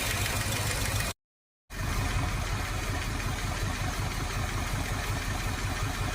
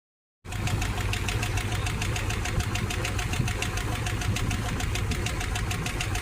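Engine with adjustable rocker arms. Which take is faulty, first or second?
second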